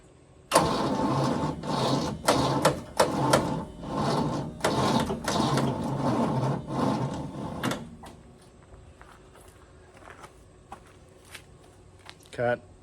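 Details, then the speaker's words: 1973 GMC cabover, 366 big block, four-speed with two-speed rear, Seafoam added and smoking: uneven, labouring cranking bursts for about seven seconds, then silence. It never catches, and the starter needs about 3 minutes to cool between tries. Cranks but does not start. "that's a fail why do they got to mess with everything why can't they just make them like they used to this thing's got to cool down for like 3 minutes between tries"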